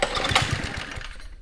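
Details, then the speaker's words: 1972 Sears Roper mini bike, Tecumseh HS50 5 hp flathead single, first start after sitting, with choke on and starting fluid: quick, even popping beat, purrs cleanly, no smoke, normal running. "Dude, it's purring. That was with the choke on."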